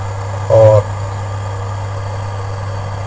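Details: Induction cooker after repair with new IGBT, plugged in directly rather than through series lamp, at full power with pot on top: steady low mains hum with soft fan whir and no repeating beeps; runs normally.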